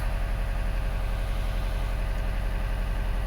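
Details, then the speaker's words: 2012 Subaru Forester SH, EJ255 turbo, after coil connector pin repair following a misfire: steady, even low idle with regular beat, no skips or stumbles; misfire gone, normal idle. "There we go, Misfire is gone and our coils are back 100%. This is fixed,"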